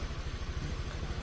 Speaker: Ya kita starter Apakah hidup ya oke ya hidup ya teman-teman ya oke gas-gas ya oke hidup ya teman-teman ya